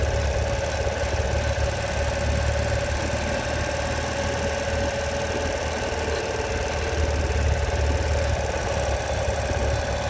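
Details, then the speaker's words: Ural Patrol motorcycle after a long ride: uneven clattering and steady drone over rough idle while the clutch lever is worked, goes away with clutch out; no clutch slip and gears shift fine. "Gears shift fine, just makes that horrible noise when working in the clutch."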